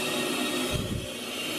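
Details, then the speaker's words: Mazda RX-7 build, welded part pressurized for testing: a thin, steady hiss of escaping air from a pinhole leak at one corner of the weld, everything else sealed. "right there, you can see is a leak, and it looks like everywhere else is sealed. It's just that one spot, and you can hear the air escaping, so you know it was pressurized."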